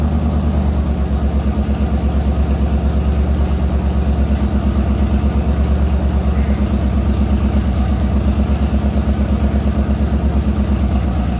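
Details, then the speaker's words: LS V8 swapped into an S197 Mustang, freshly built and being readied for boost: deep, even idle lope with steady rhythm and no knocks or misses after the ECU learned to run it; engine sounds healthy. "so as you can hear sounds really good"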